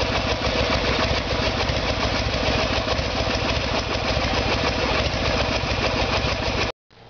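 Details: Harley-Davidson Evolution Sportster, 1994 bike with 1996 engine, idling during timing check with timing marks centred: steady loping V-twin idle held evenly several seconds, no popping or stalling, then cut off; bike later diagnosed with carburetor problem.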